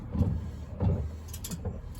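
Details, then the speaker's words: BMW E30 rear end after an LSD swap, shaft turned slowly by hand; soft rhythmic scrape about every two-thirds of a second as the CV boot (gaiter) retaining spring hits the exhaust on each rotation. "Yeah, the noise turned out to be the gator retaining spring. You can see it there. Every rotation it was going hit the exhaust."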